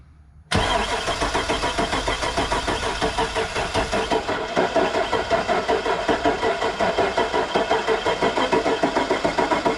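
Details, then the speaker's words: 85,000-mile truck with botched plow wiring, fuel gauge at empty: even rhythmic starter cranking for nearly ten seconds, never fires; crank no start. "she doesn't want to start we got something going on I mean the gas GA is buried at empty she just completely out of gas"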